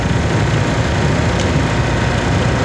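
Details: Old water-cooled industrial air conditioner with a cooling tower, after a no-cooling call, amps reading about 10.5–10.7: a loud, even low hum and airflow rush with no knocking, scraping or wavering; motor running smooth.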